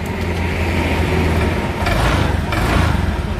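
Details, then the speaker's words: Honda Vario scooter idling smoothly after replacing a faulty crankcase breather hose (stop kamprat) that caused the rough engine sound, rather than the connecting rod the owner requested; normal idle. "Alhamdulillah sudah halus"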